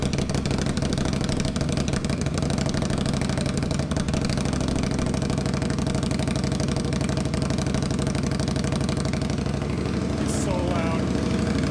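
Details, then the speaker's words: 2021 Indian Scout Bobber Twenty with Vance & Hines Twin Slash slip-ons, cold start before the baffles are modified: very loud, lumpy V-twin idle with an uneven beat of about three pulses a second and a deep, booming exhaust. "loud holy [ __ ] oh my God it's so loud pretty cool"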